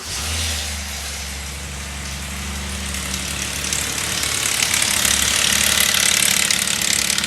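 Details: 2008 Subaru Outback L.L.Bean 3.0L flat-six, 200k miles, starting and idling: a dry metallic rattle over the run; timing chain noise suspected, not confirmed, to be checked by teardown.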